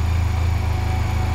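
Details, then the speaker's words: Crashed Honda Silver Wing 600 scooter (CVT, about 50 hp) after sitting stored over a year, first start: smooth, even low putter with steady firing pulses, no knocks or misses; sounds really good; normal idle. "it sounds good all right now i'm gonna shut down and check the oil again okay that sounds good just just because i mean that sounds really good"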